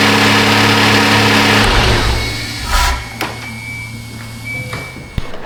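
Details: 2015 Kia Sorento 3.3 GDI with an intermittent crank-but-no-start fault, after reassembly: engine catches and runs with a steady, even hum, then settles quieter. Runs normally, no faults heard.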